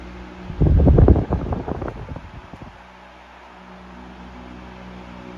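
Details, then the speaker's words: 1973 Frigid (Mitsubishi) 16-inch GT16-S oscillating fan, high speed: a few handling thumps, then smooth low hum with no rattle or ticking; normal running, 1300 ft/min. "No rattle on the high speed. 1300 feet per minute on high, which is pretty strong, I would say."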